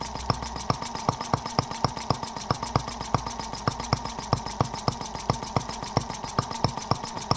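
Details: Microcosm R18 model of the 1886 Benz Motorwagen engine, first run after unboxing: crisp, even pops about four a second, steady beat, no misses, virtually no vibration. Normal running.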